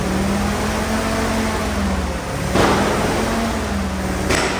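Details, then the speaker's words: Old Willys Jeep that sat for years, revived, with the mixture adjusted. Smooth, even idle with a steady low hum and only a couple of brief bumps, no knocks or misfires; normal idle. "I'm going to go and put the rest of this in the tank uh she's a runner a dang it it sounds good"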